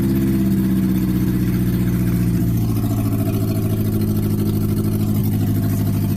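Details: Toyota Carina after engine rebuild, second start after reassembly: engine settles into a fairly steady low idle with slight unevenness and no clear knock or tapping.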